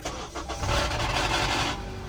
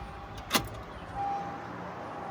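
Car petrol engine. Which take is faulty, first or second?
first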